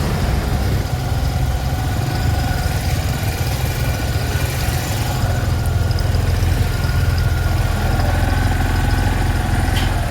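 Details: Motorcycle after roadside breakdown near Tadipatri, repaired at a shop in Royal Cheruvu; steady, even low thrum with no knocks or misses, bike idling smoothly and healthy.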